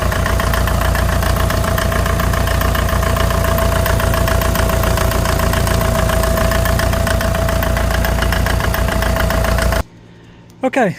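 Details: 1957 Farmall 450 diesel tractor after injection pump reseal, fired right off while cranking to bleed: steady, even chug with firm regular beat, no misses or knocks until shut off; healthy-running engine.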